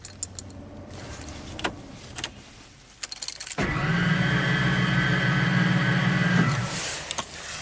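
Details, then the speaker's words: 1996 Ford F250 7.5 L big-block V8, rebuilt with new pistons, rings and cam, running very rich with poor vacuum. It loses compression as it warms up: cranking at wide-open throttle, the starter spins the engine fast and evenly with no compression and it won't start. "loses compression as it's warming up just like it did yesterday something's really really wrong cold it I mean right now it sounds like the starter is just spinning the engine's not turning over but it is wide open throttle"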